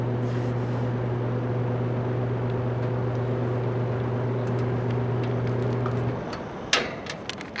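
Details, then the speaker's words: Vintage General Electric 3-speed reversible box fan, heard from the back during a run-up: steady low hum with even overtones, no rattle, scrape or wobble, then winds off. Normal running. "but let me turn it around I'll give you a run up from the back because it has some pretty cool startup sounds"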